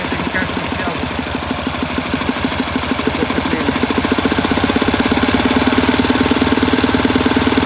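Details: 1967 K750 motorcycle on 92-octane fuel, plugs fine, valve clearances within spec but worn camshaft bushings: a steady dull knocking toward the air filter grows louder and quicker as revs rise; source undetermined.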